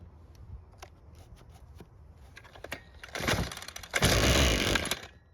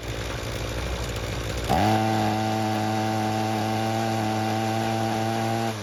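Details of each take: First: Ryobi two-stroke string trimmer that wouldn't start, after carb disassembly with the idle screw turned out and fuel confirmed flowing via purge bulb: pull-start clacks, a short ragged burst, then it dies within a second; stalls after starting, idle screw setting suspected. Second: Ryobi two-stroke string trimmer that wouldn't start, after a second ultrasonic carb cleaning and removing a stuck screw, no adjustments made: holds clean high revs four seconds, drops to smooth idle, then two crisp blips. Normal running.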